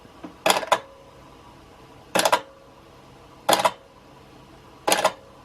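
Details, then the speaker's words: Wards GEN6827A 8-track cassette recorder/player from the 1970s, mechanically noisy: changing from channel three to channel four with the select button gives four sharp double clunks, each a quick knock-knock with a brief ring; normal channel-select clunk. "i'm gonna do select we're on channel three at random and that should get me to channel four let's see and you'll hear this clunk"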